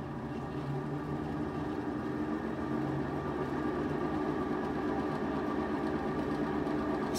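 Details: Whirlpool-type top-load washer in drain and spin after the banging repair and levelling: steady, even hum with no rattling or banging.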